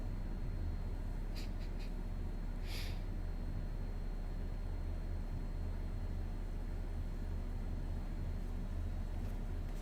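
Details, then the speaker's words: GE Profile air conditioner running: thin, steady, loud piercing high whine above the unit's low drone, like a loud fluorescent light, nothing in the manual about it; high-pitched whine, cause unknown. "now i hear the whining it's not under just nothing in the nothing in the manual about it well i'll have yeah it's really yeah there it is it's loud that whining is loud it's like piercing piercing pierces into your head"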